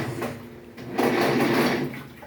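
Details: Haceb front-load washer at minimum water level fills and starts washing; a rough, gritty grinding like churning stones swells for under a second as the drum turns, suggesting something rubbing or failing inside.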